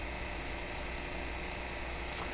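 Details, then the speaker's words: Montgomery Ward Airline 62-425 radio, internal local oscillator disabled by a missing transformer, fed an external oscillator from a signal generator while tuning an antenna station: steady loud hiss and roar with faint hum, no station audio; roaring instead of reception. "I'm targeting a station coming in from the antenna and the thing is making this roaring sound - jeepers"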